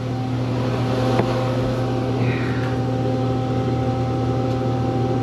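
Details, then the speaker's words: Ice merchandiser condensing unit, looks newer, just tripped out on thermal overload: loud steady low hum with strained tonal drone; compressor labouring hot, condenser plugged, condenser fan motor dead. "oh yeah caner fan motor goner okay maybe we can save this thing that dude just thermaled out when we walked up there you get hear it"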